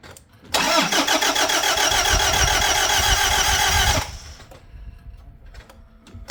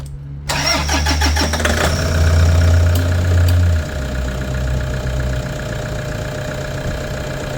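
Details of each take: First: Toyota Hilux diesel right after fuel filter change and priming: quick even starter churning, three to four beats a second, about 3.5 s without firing, sounded like no compression; cause was the wrong key, which doesn't start the car. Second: Toyota Hilux diesel after fuel filter change and priming out air: starter whirr, then catches and settles to a steady, even low idle clatter with no misses; earlier no-compression-sounding crank was a bad key.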